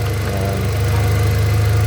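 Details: 2018 Hyundai Accent gasoline engine after a cranking no-start was fixed by swapping parts around, ignition coil bolt not yet refitted: low, even idle burble with a steady pulse, no shakes, misses or knocks, fan whirring behind; normal idle.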